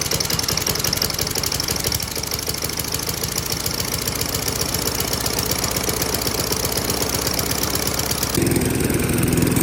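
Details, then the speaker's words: 1994 Murray lawn mower with 3.8 hp Tecumseh TVS90 engine, stored about 20 years, running on a new replacement carburettor: idles slow and uneven, skipping beats because idle speed is set too low; fixed by raising idle at the carb screw. "So it's running, but you can hear it skip a little bit, and the idle just isn't quite high enough."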